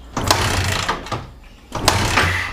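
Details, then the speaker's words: Yamaha Vixion (new) sputtering and dying, starter on weakening battery: slow, labouring whirr in uneven bursts with long gaps, engine never fires; battery voltage apparently dropping. "Nah, udah mulai drop. Akhirnya udah mulai drop nih kayaknya Kang Bro. Nah, ini nggak mau hidup sama sekali."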